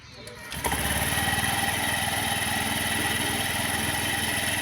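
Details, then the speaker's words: Honda Activa scooter after reassembling the clutch: engine runs with a rough rhythmic flapping beat and thin high whine from a worn CVT drive belt; belt should be replaced every 20,000 km or it may tear. "इस तरह car में आवाज आ रही है। यह belt की आवाज।"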